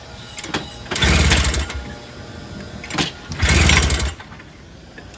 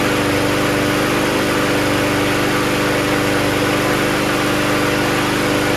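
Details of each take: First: Toro GTS snowblower, 6 hp Briggs Quantum engine, started on starting fluid, float needle suspected stuck: bursts to a loud high rev, drops back, flares again, running unevenly; engine surging at high speed, needs rpm adjustment. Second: Toro GTS self-propelled recycler mower with a 6 HP Briggs Quantum engine, after the carburetor was cleaned and the fuel line replaced. It runs on its own with a steady, even drone without hunting, with only a brief wobble near the end; healthy running.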